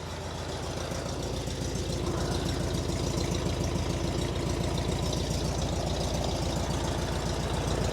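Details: Engine idling after an oil change with 3.5 quarts of 20W-50 plus about 8 oz zinc additive and a CB Performance filter, no leaks, oil light out: steady, even low putter with no knocks or misses; engine seems happy. Normal idle.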